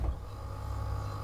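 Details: Fridge/freezer in a 1973 Airstream, pulled out from its drawer slides: low, steady compressor hum with no rattle or buzz. It runs normally; pushed fully in, compressor vibration shakes the locking drawer slides and makes noise.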